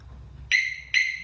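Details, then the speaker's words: Normal arming chirp from a Harley-Davidson Smart Siren 2 alarm installed on a 2020 Harley-Davidson Tri Glide, fuse just reinstalled, fob on seat: two sharp high chirps about half a second apart, confirming the alarm is working. "turn it on and we'll see if we get a chirp yep you heard it it's working"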